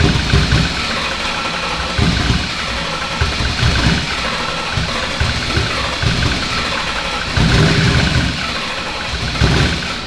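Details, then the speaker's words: Ford Coyote V8 swapped into a Fox-body, start attempt after enabling quick start and 500 rpm minimum: steady cranking with uneven bursts that catch and fade, about 0.89 lambda, never settling into a run; cranks without starting. "It's cranking at like 0.89 lambda, which it's not running. So."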